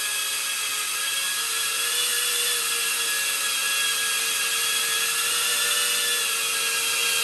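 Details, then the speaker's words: Diatone Taycan 25 cinewhoop on 4S, stock ducts before noise-reduction inserts: piercing steady high whine with buzzy edge and little low end; excess noise blamed on large gap between propellers and ducts, too loud to enjoy flying. "there was a lot of gap between the ducks and the propellers were taken so we're going to see if this works to reduce that noise"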